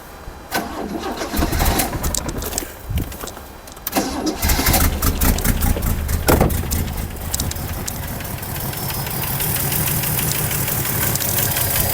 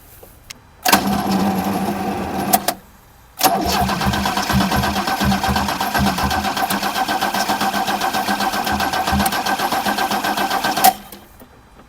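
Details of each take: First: 1979 Opel Commodore C after 15 years parked, with no fuel lines or pump: several cranks, then it catches and settles into a smooth, even idle with no knocking; compression, spark and timing are okay, oil pressure builds. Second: 1979 Opel Commodore C parked 15 years, fuel tank empty, fuel lines cut, primary fuel pump disconnected: starter cranks in steady bursts but it never fires. Spark plugs found completely dry. No start, no fuel delivery.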